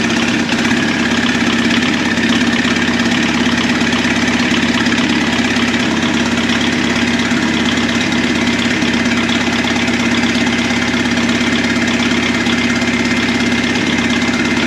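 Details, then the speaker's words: Replacement turbo diesel in a 1981 VW Rabbit/Caddy pickup, first run: rough idle with light metallic diesel ping; two injectors not firing well (lack of fuel, probable aeration), injection pump seems okay. "It sounds good, it sounds healthy. That pinging noise you hear is just that diesel ping from those injectors not firing well, so it's just a lack of fuel, some aeration probably."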